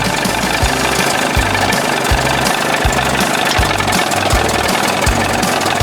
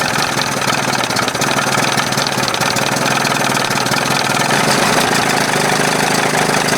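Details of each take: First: 1981 20 hp Evinrude two-stroke outboard in a test tank, warm after powerhead flush and new thermostat and gasket that fixed cold running: rattly idle with a slight uneven lope but no knocking; best it has run so far, still needs tweaking. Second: 1981 20 hp Evinrude two-stroke outboard, hot, idling on its own with carb butterfly closed and throttle at the second mark after thermostat replacement and flush: fast, crisp idle with a thin, hollow note; judged way too lean, though a big improvement.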